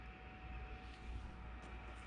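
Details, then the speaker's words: PECRON E2000LFP power station with EB3000 battery: quiet steady whir with faint constant tone, no warbling or chirping; cooling fan spinning normally, intermittent dial-up-modem-like noise owner watches for not heard. "All I hear is the fan spinning, so I'm definitely still on the lookout for that noise."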